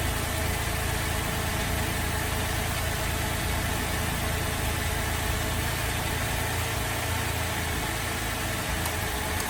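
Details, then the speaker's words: Holden VZ Adventra Alloytec V6 running very rough at idle, coils unplugged one at a time: loud uneven lumpy stumbling beat about three a second; cylinder 5 misfire from failed coil pack, replacement needed. "Alright, so it appears that our number 5 coil pack has said bye-bye and it's time to replace it."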